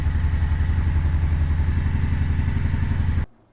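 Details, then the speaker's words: Honda Shadow Sabre 1100 V-twin, first start of the morning, full choke, clutch pulled, carburetors adjusted and plugs clean: even, loping idle with a steady low beat until shut off; no knocking, sounds healthy. "It hasn't been started this morning, so I'm going to put the choke full on. Pull the clutch in. Oh yeah, sounds good."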